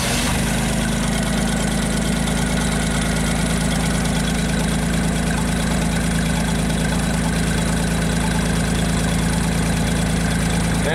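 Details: JLG 260MRT scissor lift, carbureted engine, previously starting then stalling, running with scope leads on crank sensor and ignition coil control: low even idle holds steady with no stumbling or cutting out; normal idle.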